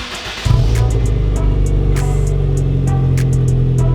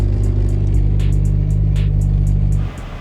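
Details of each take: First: Turbo Honda Fit after fixing exhaust leak and fitting new exhaust with turn-down tip: catches and settles into smooth, deep, even idle, then a clean rev; slightly louder, no puffing or tapping. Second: Turbo Honda Fit after upgraded stiff motor mounts and new exhaust: heavy low droning idle hum with coarse buzzing throb through the body; engine vibration now louder than exhaust.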